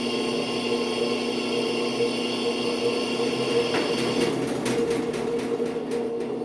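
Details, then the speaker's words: Brastemp washing machine after repair of a rubbing noise: steady, even motor hum with no rubbing or scraping; the fix was simply tightening the belt. "ó lá pessoal era só um aperto na Correia acabou o problema"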